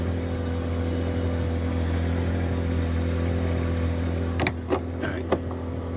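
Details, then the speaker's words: 2007 Nissan Wingroad WEY11 QG15, crank-no-start with no fuel pressure: the fuel pump hums and whines steadily, then cuts out when the connector is tapped. A terminal in the pump connector is burnt, causing the intermittent fault; it is repaired by soldering and heat-shrinking. "when I tap this, right, you see you ain't hearing it singing again. So, this jack, this jack had to change, right? This jack here had to change by the fuel pump."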